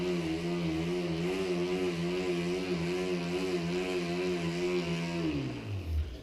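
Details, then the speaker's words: Tacx T2650 Blue Matic roller trainer, just assembled, with a mountain bike: loud, steady, slightly wavering roller whine while pedalling, falling in pitch as the wheel coasts down; too loud to hear the TV, cause unclear, tire suspected. "okay so this is the bike but it's so loud I wanted to watch TV you know and just train with this crap but it's super loud let me show you tac-x is super loud"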